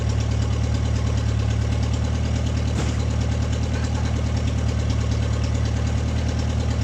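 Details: MG revived after 22 years with a new ignition switch, spark plug wires, starter relay and gas. Low, even idle pulse with no misses, knocks or ticks; the old engine ticks over smoothly.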